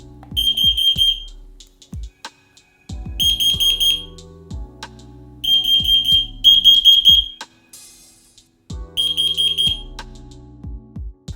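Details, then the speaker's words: FireAngel Pro Connected smoke, heat and CO alarms after wireless interlink pairing; a test button is pressed: repeated shrill high beep bursts from all linked devices. Interconnected alarms sounding on test. "You can then test the network by pressing any of the test buttons on any of these devices and listen for an audible sound."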